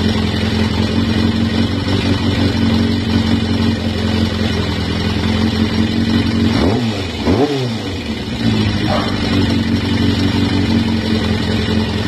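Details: Kawasaki ZRX400 four-cylinder bike engine, after carburetor cleaning, runs steadily with a couple of quick throttle blips, picking up cleanly and settling back without stumbling; normal running.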